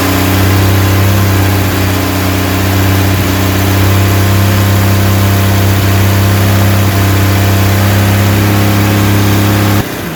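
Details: Rebuilt 230 six-cylinder on first start, cam break-in at fast idle about 2000 rpm, 40 psi oil pressure, 180° temp, timing about 10° advance; steady smooth deep exhaust, no valvetrain ticking, no smoke; healthy break-in.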